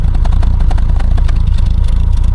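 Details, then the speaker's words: Triumph Herald Estate, warm after a drive, before a carburetor swap: idle runs lumpy and uneven with a loose clattery beat, smells of fuel, and the spark plugs are sooty; rough idle from an overly rich mixture. "no s does smell a little bit fueling well let's go and get the Dave's carb and fit it to this and see if it improves it"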